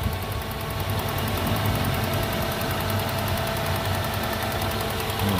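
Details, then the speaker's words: 2000 Toyota Soluna XLi manual petrol, not an ex-taxi, privately used: steady even idle with soft hum and light valve tick, no knocks or misses; engine described as still smooth, normal idle. "Terus untuk bagian mesinnya monggo bisa dilihat suaranya juga masih"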